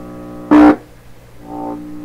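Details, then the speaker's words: 1928 RCA Victor Model 28V radio, finger touching detector tube grid: steady low mains hum then brief loud buzzing burst that settles; normal detector response, suggesting grid leak resistor works. "So that suggests to me, this is the first time I've heard this radio do this, that the grid leak resistor element is working properly here."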